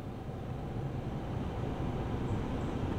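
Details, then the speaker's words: 2004 GMC Envoy after replacing the fried blower control module (fan wouldn't turn off): cabin fan starts on low, off with key out, and air rush builds smoothly up to full speed; normal blower operation, repair successful. "all right so I hear the fan on just low speed and of course the fan was not on with the key out of the ignition so let's go ahead and run through the speeds here"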